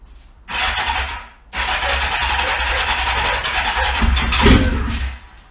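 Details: 1977 Kawasaki KZ650C barn find that sat for decades, after its carbs were dialed in. The four-cylinder catches after a short crank, settles into a busy run and revs cleanly; it runs normally.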